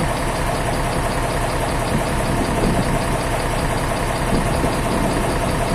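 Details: Isuzu 12PB1 diesel idling after a full overhaul, old burnt oil still burning off, smoke much reduced; steady even diesel clatter, no knocks or misses, healthy and settled.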